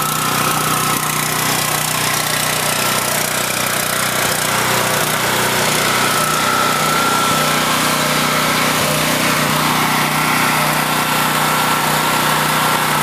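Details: Husky 5000 W generator, unused for years, after fresh gasoline, started first pull with choke, generator output tested: loud constant high-pitched buzz at steady speed, no surging or sputter; runs like new.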